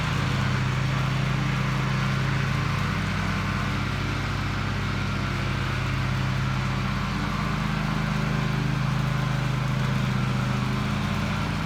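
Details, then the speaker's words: Toro TimeCutter MX 4200 zero-turn twin after replacing both ignition coils for rough running: even, steady drone while cutting grass, no misses or surging over the pass; running healthy under load, though the owner wants to double-check a couple of things. "but it runs it cuts running great"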